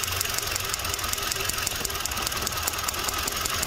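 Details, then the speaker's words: Kia Soul with unstable idle and misfire. A different coil swapped onto the tester gives crisp, even snapping ticks about four a second and a steady spark, so the original ignition coil is at fault. "definitivamente el problema lo tenemos en la parte de la bobina así que aquí no hay que buscar más"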